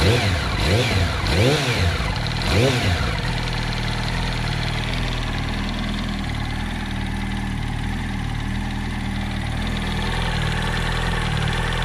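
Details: 2007 Yamaha R1 at idle after a few throttle blips, with a dull, uneven tapping over the engine; the owner suspects the camshaft or the clutch springs or basket, unconfirmed.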